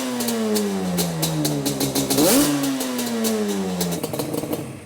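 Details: Yamaha Banshee two-stroke with good compression, starting first kick after a detail: crisp idle climbs cleanly on a quick blip and settles back, running evenly with no misfire; sounds good.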